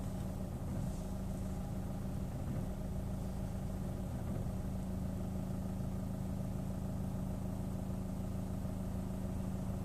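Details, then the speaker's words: Chevrolet Orlando at idle, clim off, clutch not pressed, start-stop enabled: steady low idle with a repeating jerk about twice a second, tachometer needle moving with each jolt; rough surging idle, cause unclear. "Regardez bien l'aiguille du compte-tour, elle bouge à chaque à-coup."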